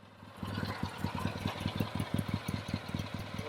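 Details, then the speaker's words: Restored 1964 Triumph TR6R, 650cc twin, single carburetor, 4-speed, 16.6 miles since restoration, unrun since 2008 and newly started: lumpy but steady idle, crisp even exhaust pulses, no knocks or rattles; runs well. "I could see it was all restored but I don't want to sell it unless I knew it ran good and now we know it runs really really well"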